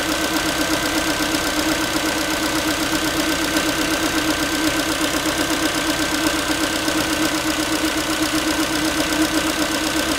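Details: Ford Focus 3 1.6 (125 hp) after a cold start: light, tinny tapping at about 160 a minute over a smooth idle; metallic knock of unknown origin.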